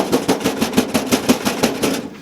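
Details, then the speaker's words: Zetor 7711 farm tractor diesel engine, recently serviced with new hydraulic hoses and fluids, self-destructed on first outing; heavy rhythmic knocking around six blows a second while it still runs, drives and starts; mechanic suspects a rod bearing, not confirmed. "it will run and drive and start and everything the problem is that you can hear one of the rods going"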